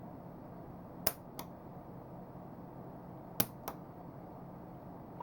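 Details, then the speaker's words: Hornby R8014 points motor fired by BLOCKsignalling CDU2R capacitor discharge unit via BS3W switch, with PPI4-DC indicator LEDs: two sharp snaps about two seconds apart with soft echo clicks in quiet room; points switching normally. "you can hear the points switching at the same time. That's all there is to it."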